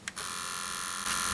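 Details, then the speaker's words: 1983 Sony Walkman WM-4 cassette player on four AA batteries (6 V), in play mode: motor whirs steadily with a high thin hum but take-up reel and capstan do not turn, also in fast forward and reverse; broken drive belts. "I hear that the motor is running but the take-up Reel is not going anywhere and the Capstone which is the spindle thing here which actually drives the tape it's not doing anything either"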